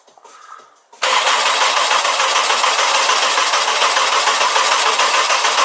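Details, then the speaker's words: Honda F20C turbo engine cranked with the cam angle sensor unplugged to bleed the turbo and build oil pressure, watching the oil pressure light: steady, even starter churn of about 3.5 turns per second with no firing. "so we've got the cam angle sensor unplugged and Andy is gonna turn this on we're gonna watch this until it leaks oil so it does crank it probably windy keep an eye on the oil pressure light"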